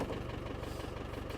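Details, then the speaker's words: Land Rover Defender 110 diesel idling with a fast, even rattle at the rear from the exhaust sitting on the mud flap; a rubber spacer is needed to stop it. "So, you can hear that rattle at the back. That is the exhaust. It's quite annoying really because it's just sat on the mud"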